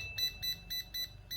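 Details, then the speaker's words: Laser level after cleaning and key repair, reassembled: five short clean high beeps about a quarter second apart, one per key press, no error chirping; continuous beeping fault cleared, keypad working normally. "Vậy là vậy V sinh lại đã hết lỗi tít tít tít tít nhá và xử lý phần phím nhá"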